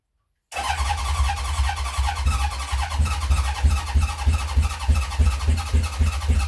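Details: 1970 Honda CB750 K0 after decades sitting, second attempt after squirting under 1 cc of petrol into each carb, choke on: uneven cranking chug about three pulses a second, coughing but not catching; owner feels the battery is giving up.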